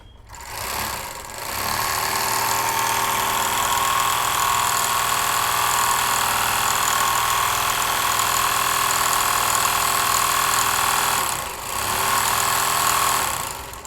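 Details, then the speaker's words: Overlock sewing machine running before missing spare parts are fitted: fast steady clatter with loud high whirr throughout; excessive running noise blamed on missing parts. "सबसे पहले मैं machine आपको चलाक दिखाता हूं आपको पता चल जाएगा कि मशीन का अभी कितना आवाज है और वह पार्ट लगाने के बाद कितना आवाज कम हो जाता है"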